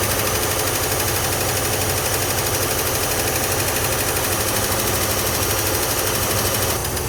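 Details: Old International Scout V8 running after the pushrod repair, with spark plugs back in, valve covers refitted, and Marvel Mystery Oil added to the carburetor and gas tank to keep the valves lubricated: steady, even exhaust note, no loud ticking or knocking; runs normally.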